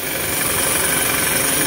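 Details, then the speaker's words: 2017 Isuzu mu-X at idle, heard at the power steering pump, steering heavy: a constant harsh metal-on-metal rasp with a thin high whine; pump is leaking/worn; pump to be replaced. "So ito yung steering pump. Yan, kung maririnig nyo, yan yung tunog nya, yung parang nagbabakal sa bakal na siya. So ibig sabihin na singaw na yung bomba nyan. So kaya matigas yung manibela."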